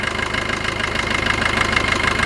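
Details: Maruti Vitara Brezza diesel idling after EGR valve cleaning, no leaks found; steady even firing with light clatter, no extra noise, smoother than before cleaning — normal idle.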